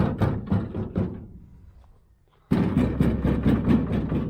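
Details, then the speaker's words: 1969 Chevy van, off the road 35 years: loose, irregular clunks and rattles in quick bursts from the open door, rattling even without being closed; door rattle. "See this? Without even being closed, it's rattling. See? We got to figure out what else."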